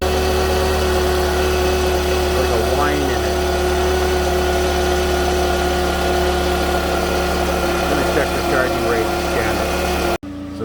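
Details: 2009 Pontiac Vibe at idle before repair, with battery drain and many warning lights (check engine, ABS, traction, brake, AWD, VSC): a constant thin whine above a smooth idle. Traced to a failed rectifier diode in the alternator.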